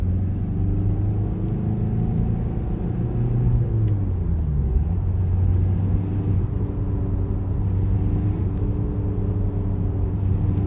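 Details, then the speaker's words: VW-group car idling with a low droning whir that shifts as the clutch is pressed; worn, disintegrating clutch release bearing, source of plastic particles found in the gearbox bell housing. "Und das ganze Lager, das macht auch ordentliche Geräusche. Also das hat sich mehr oder weniger schon zersetzt."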